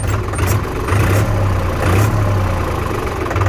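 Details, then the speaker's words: New Holland TT3.50 tractor, brand-new 3-cylinder 50 hp diesel, started with all gears in neutral: deep, steady three-cylinder clatter at idle, even and strong with no misses or knocks; sounds healthy. "เครื่อง3สูบนี่ผมว่าแรงอยู่นะ"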